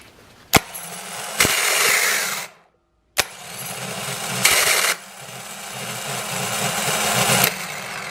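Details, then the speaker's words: 2010 Toyota Corolla, original Denso starter, new fully charged battery, starter wired directly via jumper cable and switch, temperature in the teens: short cranking bursts with harsh metallic grinding, cold-weather only, stops when warm, ongoing three years. "now the temperature here is in the teens and I've noticed this is a cold weather thing as it warms up it'll stop"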